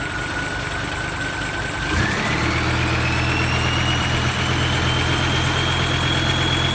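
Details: Diesel just fitted with a new turbo (same brand) after the old one's impeller broke, exhaust reinstalled: settles to steady idle as a clean turbo whistle climbs and holds a smooth high note; healthy, sweeter than before.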